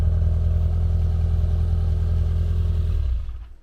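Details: Classic Mini Cooper, long off the road, new exhaust loosely fitted, no proper battery: even, low chugging about three and a half beats a second stopping after three seconds without catching; cranks but won't fire, suspected power cutting out.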